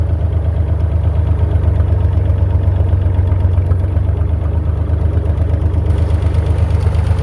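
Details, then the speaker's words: Massey Ferguson 35 Perkins diesel tractor after cheap rebuild (honed cylinders, head cleaned, new gaskets), test drive in second gear not yet fully hot: steady deep even throb under load, no knocks or misses; no longer smoking, plenty of power. "to get it from not running smoking weak on power to now running not smoking and got plenty of power for what I need"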